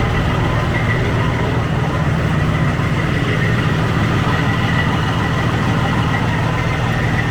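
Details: 2004 Freightliner Columbia diesel truck after starter solenoid repair, started with starting fluid while water still cold: deep, even diesel idle with steady low rumble, no knocks or misses; sounds good, normal idle.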